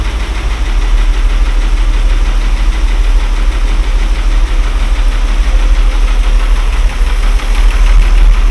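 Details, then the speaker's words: Mercedes W126 after fitting a different carburetor to chase high idle, not fully warm: deep, steady idle around 800 rpm with no stumbles or hunting; normal idle, fault traced to the original carburetor. "Ну вот этот работает значит дело карби что-то на 800"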